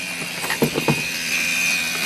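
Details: 1978 VW Rabbit diesel that won't start, after replacing the battery ground strap; original glow plug relay gives sharp ratchety clicks then a thin steady high buzz, chattering instead of holding in, glow plug light dim.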